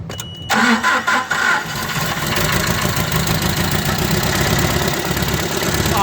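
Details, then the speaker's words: Nissan K21 engine with misfire, ignition coil already replaced: uneven, lopsided cranking beats for about a second before it catches and runs, sounding like low compression, not yet confirmed. "but you heard it cranking it sounds like we're low on compression"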